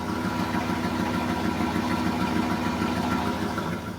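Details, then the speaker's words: 1995 Firebird Formula with 1994 LT1 V8, cold morning first start: steady, even idle with a smooth low rumble, no stumble; the misfire and stumble appear past quarter pedal despite new opti, ICM, coil, fuel pump, plugs and wires, with no codes. "We'll let her idle here. Idling just fine. It sounds good when it idles."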